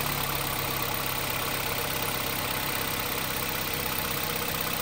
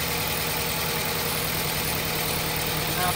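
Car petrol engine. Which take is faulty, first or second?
second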